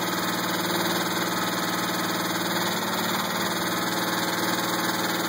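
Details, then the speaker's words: 2000 Pontiac Grand Prix GTP petrol engine at idle: dull knock about four times a second, consistent as revs ease off, not sounding like a rod knock; owner doubts flexplate, suspects a spring, unconfirmed. "I don't really think it's the flesh plate the thought didn't really go away as I eased up on RPMs but stayed pretty consistent even though when I read that up"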